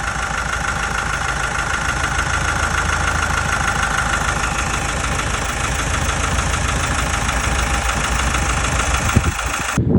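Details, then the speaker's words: Mazda CX-5 Skyactiv, low mileage with long oil change intervals, cold idle, heard from underneath at the oil pan/timing chain side: quick, uneven tapping rattle low in the engine, also audible in the cabin; timing chain suspected, unconfirmed; valve cover later showed oil sludge. "It is a little tapping noise, and now I'm going to step out the car and listen from the oil pan side, from the timing chain side, but from underneath, from the oil pan, and I'll hope I'll be able to catch it on the camera."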